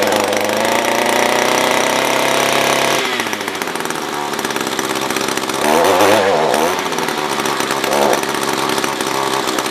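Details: SRM-210 trimmer, during idle/main screw tuning: screams high, then sags and stumbles unevenly with revs hunting; fuel starvation, owner thinks fuel level is below the fuel filter.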